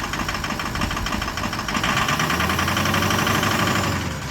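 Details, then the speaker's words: 2004 Ford 6.0 diesel after replacing the improperly seated Dorman oil filter cap that hard start and miss came from, glow plugs warmed: even steady idle, no stumble; normal idle, high-pressure oil pump and injectors no longer starved. "oh that's so much better yeah so it was definitely starving the high press oil pump and that was starving the injector"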